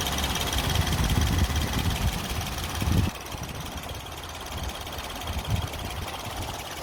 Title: Rough idle of a Nissan pixo #nissanpixo #roughidle